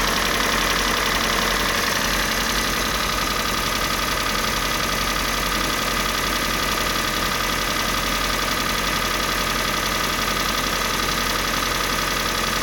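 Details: Kia Sportage 3, G4NA engine on Total 5W30 oil: steady, fast, quite regular ticking knock, roughly three beats a second, over even idle; engine knock of unknown origin.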